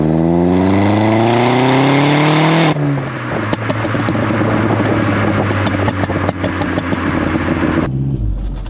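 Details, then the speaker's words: Astra H VXR on the road after replacing a holed sports cat with a Cobra exhaust and refitting the pre-cat decat pipe: clean rising rev pull into a deep steady drone, no leak puffing or ticking; exhaust sounds sealed and healthy. "that sound? Pretty good, methinks. So that is the exhaust done, something unexpected, but it was something that needed to be done and has given me the excuse to get my pre-cat decat back on the car, and I do think that makes a really big difference to the sound of it."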